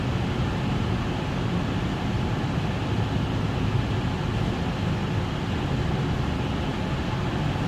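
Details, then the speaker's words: Parking garage CO-controlled exhaust fan on a VFD, sensor uncalibrated, at 27 ppm CO: steady, even low roar with no rise or fall; fan running at 100% speed, correct above 25 ppm. "still sounds like it's running 100 we're at 27 ppm"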